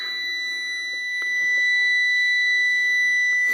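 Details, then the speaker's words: Sterling roll-off semi, cold start in freezing weather, frozen up: steady high-pitched electronic buzzer with no engine noise beneath, the shutdown warning; truck shuts down every ~30 seconds unless the override button is pressed. "There's an override button right here. The truck shuts down every 30 or so seconds."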